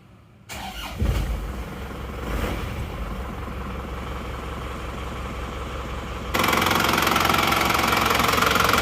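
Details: Diesel engine repaired after burning 6 liters of oil on a round trip of under 2000 km, reassembled, run about 15 minutes and fairly warm: cranks briefly, fires promptly, settles into steady even idle clatter; normal, not rough.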